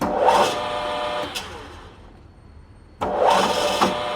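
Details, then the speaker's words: Grizzly G4003 lathe gearbox, after bearing replacement: geared whine cut by a sharp metal-to-metal clunk as it winds down, then restarts and clunks again; problem traced to belt tension, not bearings, shafts or gears. "You hear that clunk at the end and it kind of gives you that metal-to-metal noise."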